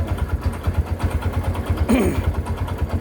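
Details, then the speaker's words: Kawasaki Barako 2 motorcycle idling: loud, regular, deep, heavy knocking at about three per second over a noisy idle; worn connecting rod knock that has worsened within a day, repair planned. "meron siang tooda yan issue niya connecting rod mga idol napakaingay narinig niyo naman kanina"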